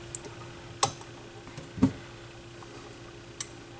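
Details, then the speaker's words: Goodwill-found Yamaha YP-B4 turntable after repair and speed adjustment: full auto cycle, faint steady hum, soft clicks and a duller thunk as the tonearm returns and it shuts itself off quietly; normal auto-return cycle. "perfect and quiet turn yourself off there we go"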